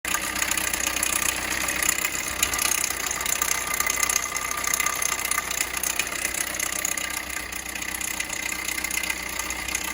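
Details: 2012 Peugeot Bipper at steady idle: loud, fast metallic chatter over the engine from a slapping timing chain on an almost completely broken-off chain guide; timing chain kit replaced.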